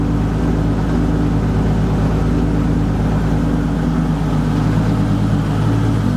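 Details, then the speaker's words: VW MK4 R32 twin-turbo with the proper accelerator pedal now wired to the ECU: deep, steady idle hum with no obvious stumbles; not perfect but much better than before. "now it's not perfect but it's a lot lot better listen to that"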